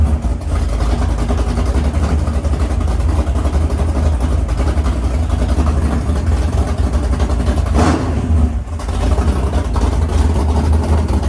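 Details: Freshly built 500ci big-block Mopar in a 1969 Barracuda, first start in the car: idle turned down to around 1000 rpm, deep lumpy steady cam lope, runs even; normal healthy idle.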